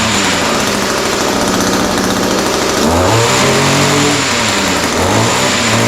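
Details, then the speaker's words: Echo SRM-210 two-stroke trimmer after a kit repair with new carburetor, primer bulb, fuel lines and air filter, plus slight carb adjustment: starts easily, buzzy idle, revs up and down cleanly without stumbling; fixed. "oh all right so that sounds pretty good uh started fairly easily needed just a little bit of carburetor adjustment um but starts easy now runs good"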